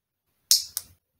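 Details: Toyota transmission shift solenoid bench-tested off the car for codes P0741/P0751: two crisp clicks as it pulls in and releases, and it measures about 13 ohms. Normal shift solenoid click; the solenoid is good.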